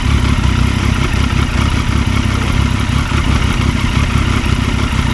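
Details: Motorcycle clutch with new plates, new springs and new cover gasket, idling: loud, uneven metallic clatter of about three knocks a second under the idle beat. It is louder with slightly more revs and vanishes when the clutch lever is pulled. Suspected primary/secondary gear play, not confirmed.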